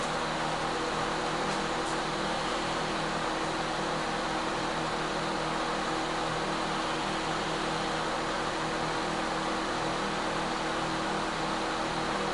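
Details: Microwave/convection oven that wouldn't shut off (turntable turning, light on while off), running: steady, even fan hum with a constant low drone, no clicks or rattles; normal running.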